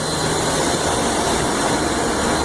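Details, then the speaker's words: Intellipak rooftop HVAC unit (unit five) after motor repairs: even, steady whoosh of fans and airflow with no knocks, squeals or wobble; all fans running properly. "Well, she sounds good. Let's see what we can see up here."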